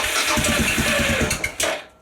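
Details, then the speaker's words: Suzuki DR650 cranking on a newly fitted lithium battery, choke on, clutch in: brisk, even starter cranking about seven beats a second for over a second, then stops; strong cranking, seems a bit better than before. "That's all right. Well, it's cranking it over. Actually, I think that's a little bit better."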